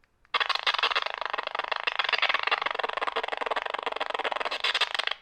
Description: My brand new Saber Masters Ultimate 2.0 Lightsaber had speaker issues out of the box!!!